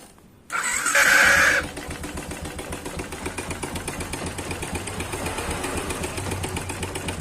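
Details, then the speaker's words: Yamaha Jupiter MX single-cylinder engine starts with a shriek, then idles with a rough, clattery rattle; the connecting rod checked good, and the cause is piston slap from a badly scored piston and cylinder wall. "Sangat kasar. Suara seperti ini pada Jupiter MX atau Vixion biasanya disebabkan oleh masalah pada piston. Itu terdengar seperti suara piston, teman-teman."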